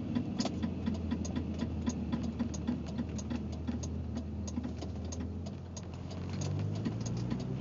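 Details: BMW 325ix: steady idle with light, quick ticking of roughly four clicks a second riding on top; clicking noise from the engine.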